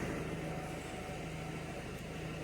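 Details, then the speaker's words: Citroen Nemo diesel that would not start; it had been filled with petrol and had a split pipe. Now a steady, even diesel idle with a low hum and no knocks or misses, running much better. "It's running much better."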